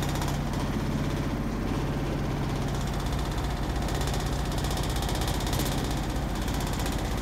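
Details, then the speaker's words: 2005/2006 Maytag Neptune washer at maximum spin speed; the owner suspects an unlevel or weak floor. A loud, fast, continuous rattling thump, about three beats per second, as the washer shakes hard: excessive spin vibration. "yeah that's why our washer keeps vibrating a lot"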